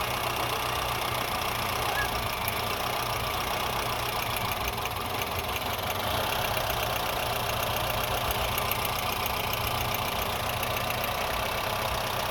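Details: Honda Fit petrol engine at idle, uneven and lumpy with an irregular stumble through the steady hum; engine misfire at idle.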